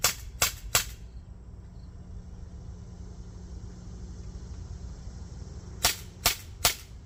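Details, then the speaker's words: CO2 pistol stored over a year with a full CO2 cartridge, fired with a new cartridge: three sharp cracks, pause, three more equally strong shots; seal still holds gas. Normal firing. "Well, it fired all the rounds. Every one of them shot out. It's still holding gas."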